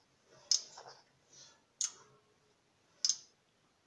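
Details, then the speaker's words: Circular saw modified with a soft-start, economy low-power mode (switching between 2 and 6 A): the two 16 A limit switches, meant to click together, give three sharp, crisp clicks about a second apart in a quiet room, snapping over normally. "Hallani, ahogy kattan. Hát igazából be kell állítani, hogy gyakorlatilag egyszerre kattanjon, egyszerre működjön, mert ez 2 darab kapcsoló. Végállás kapcsoló."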